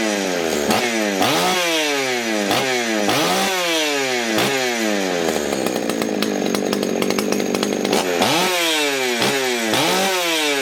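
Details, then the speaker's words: Ported Husqvarna 61 chainsaw, 48mm open port, Dukes piston, over 200 PSI compression, 28-inch bar, likely late 70s–early 80s, unstarted for months: two-stroke snaps to a high scream on each blip, then a clean wide-open howl; healthy, snappy running. "Damn, that thing sounds good, and damn, it's snappy."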